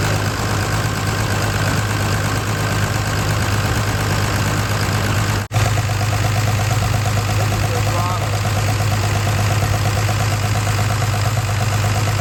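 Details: 1993 Dodge D350 Cummins turbo diesel, abandoned 18 years and run on an alternative fuel supply, first start with suspected stuck injection pump: lumpy uneven idle with loping beat; one cylinder not firing, zero compression.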